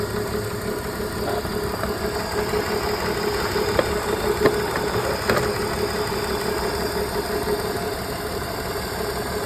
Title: BMW e46 misfire (check on)